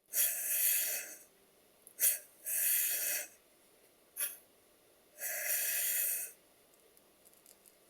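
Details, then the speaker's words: Stuart Double 10V model steam engine, big end shells just tightened, crankshaft turned on compressed air: one valve admits and exhausts cleanly with a chop, the other wheezes at both stroke ends; valve timing fault. "If you listen carefully to the noise that the engine's making, you will hear that one of the valves admits and exhausts nice and cleanly with a bit of a chop, and the other one just wheezes at both ends of the stroke."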